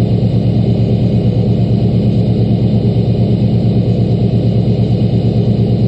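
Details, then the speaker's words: LBZ Duramax diesel truck just started at -11°F after one grid heater cycle, 9000 ft altitude: steady even diesel clatter at raised cold high idle, no misses or knocks, slight turbo whistle; normal cold high idle. "We're just gonna do one cycle on the grid heater. Fired right up."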